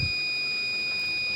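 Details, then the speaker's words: Microtek inverter SMD PCB (B4 model) with a new 12 V relay fitted: a steady high-pitched beep sounds continuously once the battery connects and stops when switched on; no pulse reaches the relay, a critical drive/relay/program circuit fault. "अभी beep चान आ रहा है इसमें वही दिक्कत है देखिए आज य बहुत क्रिटिकल फल्ट है"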